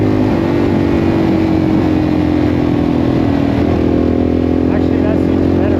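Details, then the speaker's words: 1984 Yamaha XT600 single after fitting correct standard jets (wrong-sized jets had caused breakup under load; pilot screw set 1.5 turns), wide-open desert pull: strong, steady drone with no stumble or bog; best it has ever run. "Honestly, that seemed way better. >> Like we got power. >> That was the best it's ever been."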